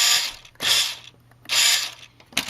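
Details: WPL B-1 1:16 RC military 4x4 truck, stock steering servo, at power-on: harsh high gritty buzzing in half-second bursts about once a second; steering servo chatter suspected, upgrade to different ESC and servo recommended.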